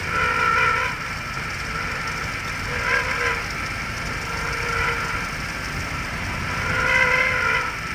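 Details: 2002 Jaguar X-Type 3.0 V6 running, microphone at the suspect spot: a short high chirp-squeal about every two seconds, unchanged after a new grooved belt and rollers; source unknown.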